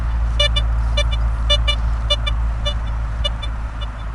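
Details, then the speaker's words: BLISSTOOL metal detector on pasture, set back to auto ground balance zone 2. Only a few faint short chirps as the coil sweeps; the ground sound is gone: correct ground balance, quiet over ground. "If that little bit of sound to the ground is bothering you, it's gone. That's fine, guys."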